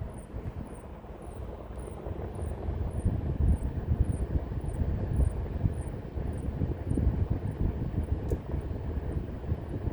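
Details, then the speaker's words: Lian Li UNI FAN TL LCD 120 reverse blade fans switched from high to full speed; steady whoosh with a thin high chirp about twice a second from the middle fan, squeaking at full, quiet mode silent. "As soon as we take it from high SP to full SP, hit apply, it's making a squeaking noise."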